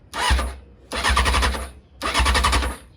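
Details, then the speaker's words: 2001 Honda CBR600 F4i after fitting new gas cap and an ignition switch that proved the wrong one: three one-second bursts of fast cranking, spark present but no fuel pump priming, never catches; fixed by installing the correct switch. "she's trying to start you can hear it getting a spark back here she's getting a spark she's trying to start up just no problem there's no fuel pump"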